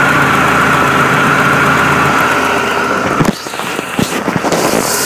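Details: 1998 BMW E46 318 with M43 1.9 petrol engine at idle, uneven lumpy beat with loose rattly knocks; problem comes and goes, worse after alternator rework, cause unknown; rough idle.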